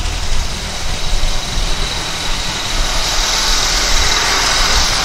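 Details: 1999 Honda Accord, replacement F23A engine, codes P0108/P1129, running black and rich: low idle wavers and stumbles under a rising hiss. It idles poorly when warm and dies at stops; the timing belt was found one tooth off.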